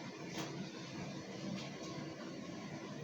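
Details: Ninja 8 kg B-class condenser tumble dryer running with clothes in it after a heavy cleaning and minor fix: quiet, steady drum rumble with soft thumps of tumbling clothes and no scraping or squeal, so it is turning normally.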